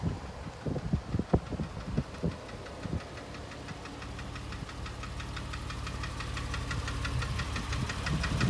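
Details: 2005 Porsche 997 S, 82,000 km, Tiptronic: after a few loose clunks, a fast steady tapping over the idle growing slightly louder; engine knocking, origin unknown.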